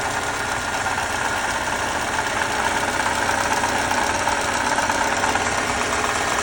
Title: 2018 Lexus IS 300 bad water pump sound